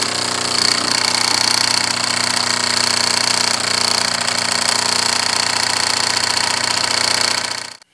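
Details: Wilesco D6 model steam engine at full pressure, with a small pressure leak around the whistle, runs with fast, even chuffing at about 200 beats a minute over a steady hiss, no knocks or stumbles; normal running.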